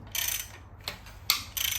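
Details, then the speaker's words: 2002 Lincoln Navigator 5.4 4V DOHC 32-valve engine, about 260,000 miles, front cover off, crank turned slowly by hand: irregular light clicks and pops as chain tension shifts; timing chains have excessive slack, worn. "some of these chains have a good deal more slack than I think they should this one most definitely and then it will move you can hear it click and like make popping sounds as we spin the engine over"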